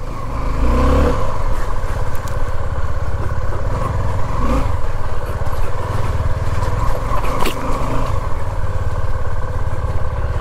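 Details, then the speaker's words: Suzuki V-Strom just after starting: deep, even, silent-running idle with no knocks or rattles; owner says the sound turns tractor-like after riding a while. "देखो यह perfect sound आ रही है bike में जो भी sound सुनाई दे रही है ना आपको यह परफेक्ट है साउंड इस साउंड से मुझे कोई प्रॉब्लम नहीं"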